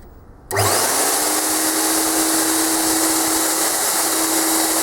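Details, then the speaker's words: Premier Clean Monarch 650 twin-motor ducted vacuum, about 10–11 years old, after replacing both motors with new Ametek units: motors spin up within a second to a steady high whir, clean hum, no grinding or rattle; running normally. "As we can see, the motors are working perfectly, and we'll now put the bottom plate back on the machine and advise the customer that the unit is ready."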